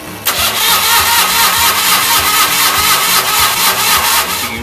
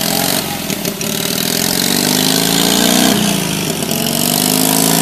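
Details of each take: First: 1964 Rand Mailster with Onan industrial engine, hard starting, suspected flooding: long uneven cranking at about two pulses a second with no catch; plugs later found dry, cause not confirmed. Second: 1964 Rand Mailster with its Onan industrial engine, after troubleshooting a hard start: engine catches and keeps running, revs rising and falling smoothly with no misses. Runs normally again.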